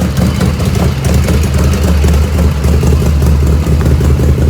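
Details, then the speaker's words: 1985 Harley FXRS Evo cold idle without choke, not at operating temperature: lumpy, uneven low chuffing beat with black smoke; carbs running too rich. "it's not hot the ends is not hot right now but I know I know it's too rich it's it's chuffing"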